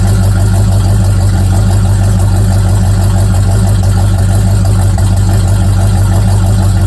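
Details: Old Mustang project car, recently revived after 42 years, at cold idle: a loud, deep, even idle with a steady lope and no knocks or misses, sounding healthy.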